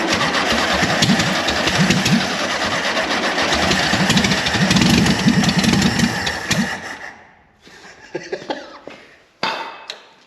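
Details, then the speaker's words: 1973 VW Super Beetle barn find after sitting 17 years, fuel pump reliability uncertain: busy, even tappety patter holds steady for several seconds before shutoff; the flat-four runs normally after long storage. "I don't know if this fuel pump's gonna work but just to hear that it runs oh it's so great"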